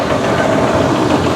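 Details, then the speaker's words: 2012 Chevy Cruze Eco idling: hard fast tapping from one side under the hood, first thought lifters, now suspected deep knock; a heavy misfire also noted. "I also hear a pretty pretty aggressive tapping noise front the hood here it's coming from this side"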